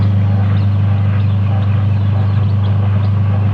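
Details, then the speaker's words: Twin-tub washing machine motor spins freely without belt but with belt fitted to drive gearbox only hums steadily with no rotation; weak capacitor suspected, otherwise the motor itself. "ketika dipasang panbelnya untuk memutar gearbox mesin berdengung teman-teman ya kendala seperti ini biasanya kapasitor sudah mulai lemah teman-teman"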